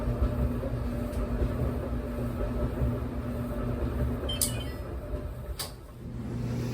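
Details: Whirlpool Duet dryer after a main control board relay replacement and an interface board connection fix for F70/F01 errors: even drum rumble with soft thumps from tumbling clothes; runs with no errors or fault noise.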